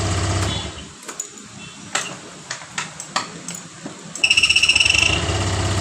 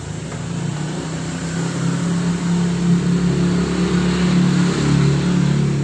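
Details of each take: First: Honda Vario 125 (old model) with an ACG starter: scraping squeaks and clicks while cranking, then a fast high chatter. It took several tries to start, and the noise disappears once the engine runs; squeak while cranking, cause unclear. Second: Honda Vario 125 (old model) on kick-start after removing the ACG starter magnet rotor: low, even churning with no squeak. The squeak came from the right-side magnet, likely dirt or dust causing rubbing; the ACG starter itself still needs repair.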